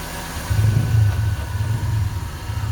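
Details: Idling car engine: low, uneven knocking rumble that was hard to locate; a mechanic traced it to worn AC compressor and alternator (generator) bearings.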